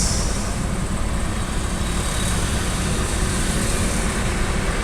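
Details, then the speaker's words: Toyota Avanza/Daihatsu Xenia (old model) after cleaning a dirty ISC valve to cure high idle RPM, EFI fuse removed to reset: even, low, smooth idle with no hunting or misses while the ECU relearns; low idle during relearn, RPM returns to normal after restart. "Nah, jadi ini adaptasi dulu ya. Jadi RPM-nya rendah, biarkan RPM-nya standar atau dia beradaptasi sendiri."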